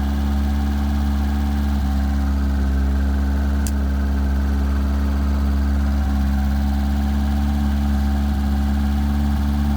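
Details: 1978 FIAT 124 Spider during rough idle diagnosis: a steady low drone with faint stumbles and wavering tone every couple of seconds; the cause is not yet found.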